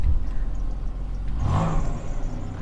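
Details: Chevrolet Monte Carlo SS: quick throttle blip rises cleanly and falls back to steady idle, no knocks or rattles, no exhaust smoke, no check engine lights; engine sounds healthy.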